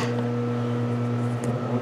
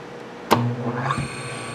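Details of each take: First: Quarter-horsepower three-phase motor hand-started on single phase, generating its own third phase like a rotary phase converter; steady low hum with constant tone, shifting in character near the end. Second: Quarter-horsepower three-phase motor on single phase, after switching to a lower capacitor setting (previous setting ran warm after 5 minutes); sharp click, low hum, then a clean whine climbing to steady pitch; normal start, though too little capacitance to reverse while running.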